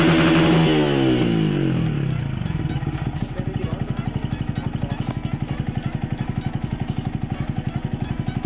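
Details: 2014 Yamaha Vixion fuel-injected motorcycle; revs climb then break into a choppy, popping beat about four pulses a second, stumbling at high RPM under throttle, injection suspected, not confirmed.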